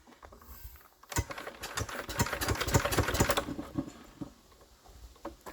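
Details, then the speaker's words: Enfield diesel engine, previously struggling with too much compression, injectors just refitted; suspected hydro lock. Uneven starter churning halts abruptly, then silence: cranking no-start, engine stops dead without firing. "Alright, let's give it a go. Come on. Oh, that's still stopping dead."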